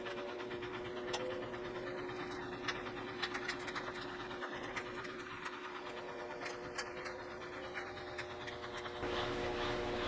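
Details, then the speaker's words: GE top-load washer test run after replacing the drive belt (damp clothes and water left in tub): low, even spin hum with light ticking and no slipping or squeal. Normal spin. "okay so it looks like everything's working well"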